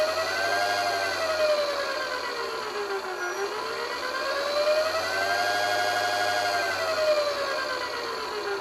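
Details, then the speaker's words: DC motor on a 250 W PWM speed controller (MOSFET, 9-50 V rating) at 12 V supply: steady electronic whine rising and falling smoothly with motor speed as throttle is worked, no rubbing or knocking; normal PWM frequency noise. "ลองฟังเสียงบางตัวก็จะมีเสียงมาตัวไม่มีเสียงนะครับขึ้นอยู่กับการออกแบบคือผลิตความถี่นะครับเสียงทีวีนั่นก็คือความถี่นะครับ"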